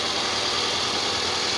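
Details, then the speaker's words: 2004 Toyota Camry that would not start or stay running; scanner showed misfire on cylinders 1 and 2, ignition coils replaced; now starts and idles evenly and steadily, hissy, no skips, all cylinders firing. Normal idle after repair. "ya ven que el motor ya encendió con ningún problema el problema era el cilindro 1 y 2"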